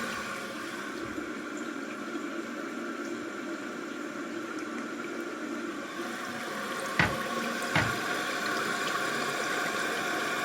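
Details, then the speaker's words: Toilet tank refilling after replacing the fill valve and flapper, with a steady smooth hiss and light clicks near the end. It stops quietly, unlike the old noisy valve; normal refill. "Okay, it stopped. Right? I don't hear any noise come out of here, unlike the old one. So that's good."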